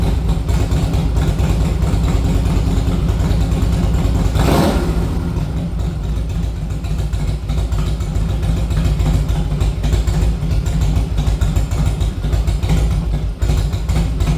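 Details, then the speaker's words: 1961 Harley Panhead, after kick start and a ride down the road: deep, uneven loping, chugging and stumbling beat with a sharp pop; owner thought it lacked fuel, found to be an intake manifold leak. "Uh, it's chugging and bugging. Um, I mean, to me, it sounds like it's just not getting enough gas, but I don't know."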